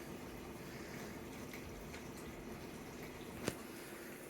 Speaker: can kind of hear the water inside and that's about it a little bit of rumble from the thing that's the water pump